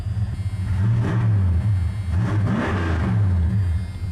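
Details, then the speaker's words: Truck running again, idling around 840 rpm before warm-up (about 775–800 warm): deep rumble that climbs cleanly with each blip and settles back smoothly, no misses; crisp, healthy throttle response. "Look how crisp that is. I don't know if y'all can hear that thing. She's that good, man."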